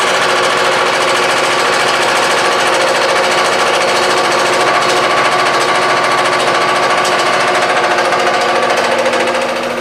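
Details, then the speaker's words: Shop air compressor with a newly fitted valve, building to about 200 pounds of pressure, with the pressure relief valve working: a loud, steady pumping clatter at about three strokes a second holds even, so normal running. "I tell you, it's pretty scary, isn't it? So it's built up, and we're up to what, 200 pounds?"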